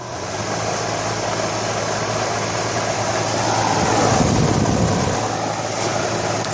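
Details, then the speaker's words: Home air conditioner outdoor unit in August heat, compressor dead since 1 a.m.: only steady fan rush, no compressor hum underneath; a wire burned on the contactor, so the contactor and wire may need replacing. "fan is running but there's no I don't hear the compressor running too all right so I did find a problem one of the wires crap where's it they go one right right here burned on the contact as you see"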